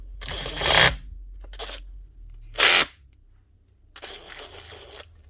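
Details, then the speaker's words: Makita DTD154 brushless impact driver with a failed needle bearing in the front gearcase: short bursts of harsh, raspy buzz, rubbing and not running true, with excessive spindle movement. Fixed by replacing the gearcase. "That sounds nearly as if the actual armature or something's got twisted or warped or something. She's definitely rubbing, but she's not running true. Could just be a bearing, but I haven't actually ever replaced a bearing in one of these before."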